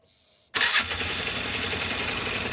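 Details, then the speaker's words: Polaris Ranger 500 EFI after fuel pump replacement, a new plug and fixing a suspect wiring connection that caused spark loss and misfiring: catches at once and settles into a steady, even idle with no misses. "Anyway, I got to messing with this wire and the plug and all that stuff, and now we actually have this thing running."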